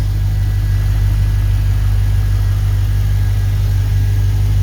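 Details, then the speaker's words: LS1 V8 from a 2004 Holden Caprice, 172,000 km, running on an engine stand with 4L60E transmission attached: deep, steady burble at even idle, no knocks, ticks or misses, no oil or coolant leaks; healthy engine. "Nice quiet engine. No leaks, no oil leaks, no coolant leaks."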